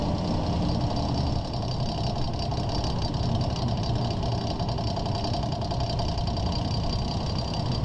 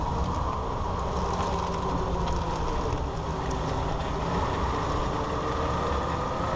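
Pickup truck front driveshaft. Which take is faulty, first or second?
first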